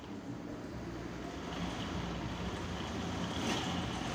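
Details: Honda Scoopy ESP 2021 with a stuck kick-starter gear: engine catches and settles into a soft, even idle that builds slightly, no knocks or grinding, over some wind; normal idle.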